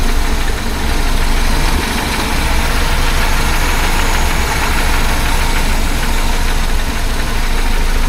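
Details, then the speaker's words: 1976 BMW 2002 (E10) M10 engine with new Weber-style carb and swapped coil, rough heavy idle: fast light clickety-clack ticking in the engine, source not yet found. "That made it a bit smoother. Don't know what that clickety-clack dock is. I'll have to chase that down somehow."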